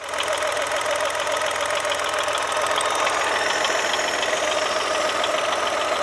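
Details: Brand-new Chevrolet Onix Plus at idle: steady mid-pitched whir with light rapid ticking; dealer's solenoid valve replacement didn't help, noise traced to faulty alternator belt tensioner.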